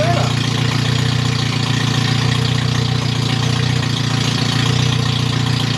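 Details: MG Midget with rebuilt twin SU carbs, no radiator, getting warm: loud, steady drone of about 3.5 beats a second with slight unevenness during jet adjustment. Idle not yet settled; cause unconfirmed.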